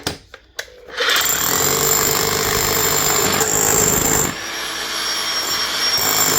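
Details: DeWalt D25810 chipping hammer after its bearing repair, tested chipping a concrete block; after a quiet start it settles into a loud, steady rattle of blows, running evenly with no stalling or slipping.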